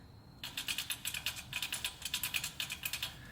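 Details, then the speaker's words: 2005 Toyota Corolla S, about 167,000–176,000 miles, rear wheel with drum brake: sharp light clicks, roughly six to eight a second, as the hub turns by hand; no play felt and nothing rubbing, so a failing rear wheel bearing is suspected; hub assembly replacement planned. "obviously there could be some other theoretically some other reasons why it's clicking and ticking but i personally don't see and i didn't see last time anything interfering with this hub and with the bearing"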